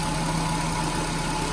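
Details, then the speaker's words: Nissan Grand Livina idling after replacing the AC pulley set, damaged when flood water reached mid-wheel and wore out its bearing; now smooth, even idle with faint whine but no rough bearing rumble. "Jadi setelah diganti puli AC, suara mesin mobil kondisinya normal kembali."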